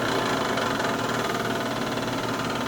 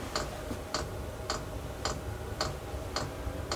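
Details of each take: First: Chinese diesel heater starting after sitting 8–9 months, priming cycle: steady rough whirring hum with gritty edge, no clean tone; owner recalls the noise from last season though it kept running; worn blower motor ball bearings, needed replacing. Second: Chinese diesel heater after replacing noisy worn fan ball bearings, about 30 seconds after switch-on; the pump worked out an air bubble from the removal; crisp ticks about twice a second over a soft fan rush. Normal fuel pump clicking.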